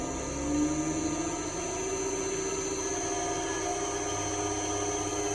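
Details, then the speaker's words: Restored Cadet three-phase grinder, 208 V motor run off 240 V at about 20-something hertz: steady, even hum with clean tone climbing slightly as it settles at speed, no wobble or rub; sounds great, running smoothly. "Good to go. There it is. That sounds great. No wobble. Beauty. Really nice sounding."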